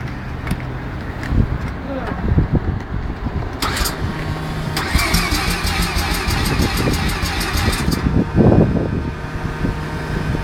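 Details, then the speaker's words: Mazda RX-7 13B rotary turbo: starter churns in a rapid even chatter for about four seconds without the engine catching; crank-no-start with a battery going flat. "Oh, the battery's going to go flat. Oh, the flat battery. Nearly."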